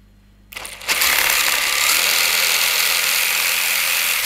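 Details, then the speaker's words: RC adventure crawler (Lycan) lifted and run with clip-on mic at transfer case: steady even high-pitched whir about three seconds, no catches or rattles; smooth because motor (dinamo) was repositioned and re-mounted with insulation tape. "bunyi transfer case jadi bisa kita lihat sama-sama tidak ada bunyi-bunyian yang mengganggu seperti kertas krep dan lain sebagainya di bisa dibilang ini sudah cukup halus"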